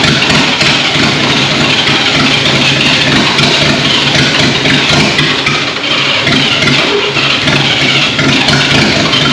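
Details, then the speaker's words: 1939 GMC COE 4x4 cab-over six, first run in about 60 years: loud, ragged sputtering, firing on only two to four of six cylinders. Fuel and spark are present but not on every cylinder; possibly timing. Misfire. "all right so at this point you can hear the truck is sputtering it's hitting on three four two cylinders out of the six"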